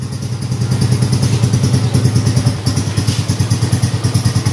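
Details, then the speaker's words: Yamaha Mio M3 125 scooter after repair of leaking valves (had hard starting, stalling idle, heavy vibration on initial throttle, thick carbon on piston): even, steady single-cylinder putter, no misses or knocks; idle back to normal. "Oke teman-teman motornya sudah dalam keadaan hidup langsanya sudah normal kembali"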